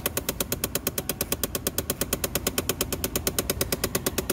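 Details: 2011 Chevy Impala with the key on: rapid, even plastic clicking from behind the dash near the glove box, a common fault from a bad blend door actuator, often on the passenger side.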